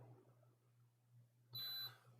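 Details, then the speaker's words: Nintendo Switch board repair, multimeter in continuity mode after checking a fuse: a single clear high beep about a third of a second long over quiet room hum; continuity present, filter checks good. "we will check this fuse down here fuse is good"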